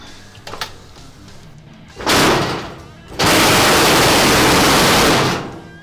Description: This dryer was making a bad vibrating and rattling sound.